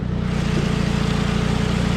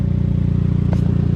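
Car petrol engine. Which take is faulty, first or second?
second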